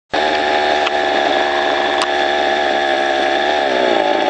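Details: Two-stroke string trimmer clearing overgrown growth, heard from a distance: high steady scream with slight dip under cutting load; runs clean and even, normal running.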